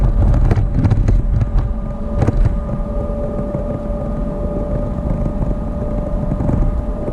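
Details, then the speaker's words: 1987 GMC Vandura 2500 conversion van with GM 8.5-inch rear axle, driving about 35 mph: steady low roar and constant hum over wind and road noise, loud even in the insulated cabin, from a worn rear axle bearing. "I want to see if it'll be audible on the video when I get ready to record it, see if you guys can hear this bearing. I'm going about 35 miles an hour right now."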